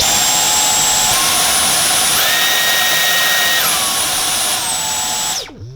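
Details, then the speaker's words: Dyson V10 Animal Extra cordless vacuum: steady high motor whine steps up and down in pitch as power modes change, then spins down with a springy boing at switch-off, which is normal. "So you can hear there. Well, first of all, at the end it makes that strange sound. It's like a boing sound. I'll just show you that again. We've had quite a few customers where they've asked us, is that normal? And yes, it is normal."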